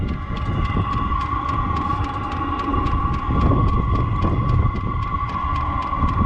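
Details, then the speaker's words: Chinese diesel heater after strip-down, cleaning and rebuild, recorded outside at the exhaust: steady low rumble with soft gurgling flame noise and faint even tick; exhaust hot. Normal running. "so that exhaust is hot to the touch, and I can hear the gurgling noise of the flames."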